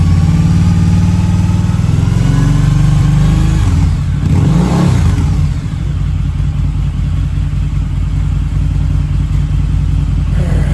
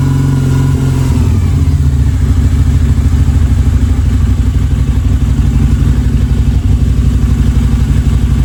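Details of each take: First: Harley-Davidson V-Rod, about 16,000 miles, first start in at least four years with fresh fuel and new battery, warm, smoke almost gone: brief rev, then an even loping idle with no rattle or missed beats; healthy. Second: Harley V-Rod on its first start in at least 4 years, with fresh 91-octane fuel, a new battery and the throttle body refitted. Penetrating oil squirted into the cylinders left the plugs wet. Loud, lumpy, slightly uneven V-twin idle with smoke: wet-fouled plugs from storage oil.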